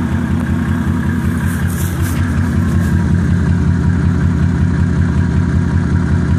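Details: Mercedes E300 OM606 diesel idling: uneven, lumpy rough idle with a random knock; bad motor mounts blamed for the roughness, knock possibly a leaky injector, not confirmed.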